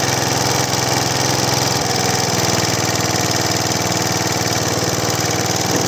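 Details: Large professional Flymo hover mower after bearing replacement, test running: steady, even small-engine beat with airy fan rush and no grinding or bearing growl (previously very loud bearing noise); sounds healthy.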